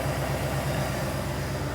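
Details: 1988 Ford F350 dually, 351 Windsor V8 with Edelbrock carb and Holley fuel pump, running again after a roadside no-start (sending unit suspected). Steady, even low burble at idle with no misses or knocks over light street noise: normal idle.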